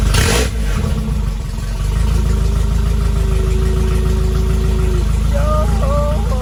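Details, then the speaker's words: Nissan 240 fitted with a Nissan pickup crankshaft, first start after the swap, run only briefly because the cooling system is out: brief crank, catches at once, then a steady, even idle with no knocks or ticks. Sounds healthy. "Just a little sneak peek of what's going on, and yeah, she is running. She is running."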